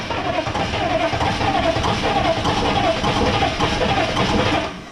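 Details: Military M1009 CUCV (Chevy K5 Blazer) diesel, sitting over two decades, first start attempt without ether, with a little throttle: steady cranking with slow rhythmic beat and hint of catching, never fires; oil pressure builds to 40 psi; cranking, no start.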